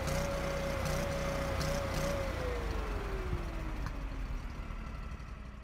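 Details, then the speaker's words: Kohler engine started after ECU reset with TPS off by 7.4% (max 48.4% vs calibrated 55.8%): tone wavers and hunts for two seconds, then slides down and settles once idle-down solenoid closes throttle; unstable idle from uncalibrated TPS. "changing from 48.4 to 55.8% doesn't seem that significant does it but listen to what the engine sounds like if started and ran while being off by 7.4% TPS"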